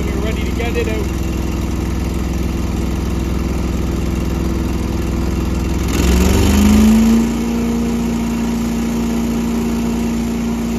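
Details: Small gasoline engine's start after winterization (fuel stabilizer, fogging oil, battery stored above freezing): settles at a steady idle, then revs cleanly to a smooth, even full-throttle drone with no misses; a little pop of smoke at start is fogging oil burning off; healthy.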